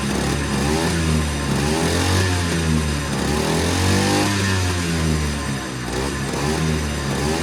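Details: Unnamed machine from a set of off-road projects, hard to start after sitting, fired with ether then ran as if it hadn't needed it: engine revs up and settles repeatedly, pitch following throttle cleanly, no stumbling; normal running.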